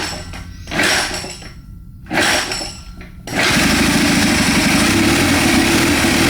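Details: Military surplus 2A016 twin-cylinder generator engine, turbocharged, in a kick-start BSA 4-speed mini bike, on stand: after a few rough bursts it catches and runs loud and steady with an even beat; healthy, slight oil-system leak noted.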